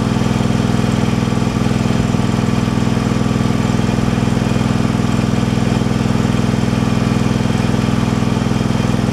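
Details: Craftsman Pro mower with new carburettor and linkage fixed by a 4.5 mm gasket spacer: steady, even low thrum at constant speed with no rise and fall; runs smoothly, surge fixed.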